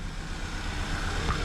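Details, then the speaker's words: VW EOS 2.0L (year uncertain, 2010–2012) with hard starting, black smoke and fuel smell: rough, stumbling idle with cylinder 3 dead; misfire traced to a leaking injector. "oh nope there we go cylinder one's dead missing or sorry not one three yeah it's not doing poop"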